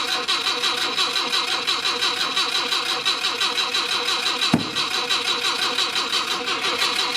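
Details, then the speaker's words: Mk1 Ford Cortina original 1200 petrol engine, on jump pack, possible dodgy ignition switch, fuel doubtful: steady even cranking about three turns a second, never firing; crank no start, later points cleaned to get spark, cause unconfirmed. "Right, so can't really smell any fuel unless somebody's drained the fuel out of it."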